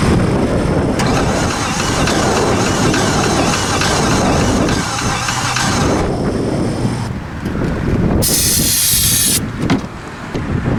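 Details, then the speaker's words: 2015 Infiniti QX80 from a Copart auction, suspected weak battery, cranking: slow, labouring starter with an uneven skip where one stroke comes up lighter, meaning one cylinder isn't compressing (low compression). "doesn't sound particularly heavy and it's got two problems it's cranking slow and it's and it's got a skip which means it's got a a hole that's not compressing"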